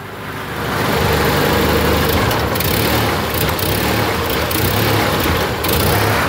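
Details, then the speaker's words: Honda Accord with low power and stalling on acceleration, TPS and MAP connectors reversed: on throttle snap revs climb sluggishly and flatten, clear hesitation on acceleration. "if that isn't a hesitation on Excel I don't know what it is"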